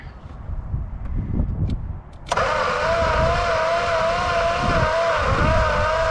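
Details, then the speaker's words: 1962 Plymouth Valiant slant six, start attempt: starter turns the engine over with a steady, wavering whine, never firing; no spark suspected, points to be checked. "okay no Go-Go's well that is now we'll crack that a little bit and give her some more Go-Go's I don't think we have a spark on this"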